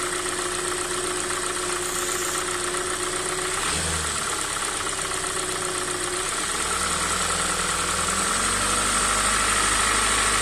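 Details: Hyundai i40 2016 with 2.0 G4NA engine at 50,000 km, dealer-serviced on 5W30 oil, cold idle: a steady, even knock of roughly two to three beats a second; the dealer teardown found no fault and the source is undetermined.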